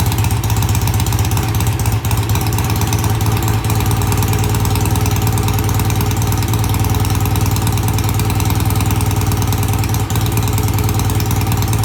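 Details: BSA A65 with new Premier carburettors and freshly cleaned pilot jets. Easy cold start after tickling, then a steady, even idle with a regular low beat, no misses, knocks or hunting; both cylinders firing cleanly. Normal idle.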